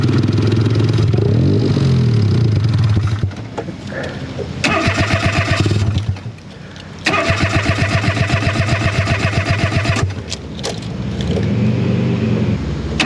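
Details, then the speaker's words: Off-road buggy: several bursts of even cranking, about four turns a second, no fuel pump hum heard, never fires; cause unknown. "later I don't hear the fuel pump at all Mr Dirt gear what's up what's wrong"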